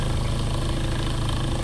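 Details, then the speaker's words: Window motor used as a rotor, pull-started by a string on the shaft in a freewheel run-down test: deep throbbing rumble from imbalance, as the rotor is not yet true and the outer bearing is already worn. "all right there we go that was a good one although you can hear the vibration the imbalance"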